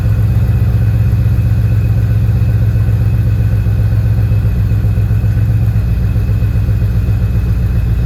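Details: Porsche 928 GTS V8 with manual transmission swap, second start after exhaust leaks fixed: deep, steady burble with even low pulse and no ticking or puffing; runs healthy and sealed.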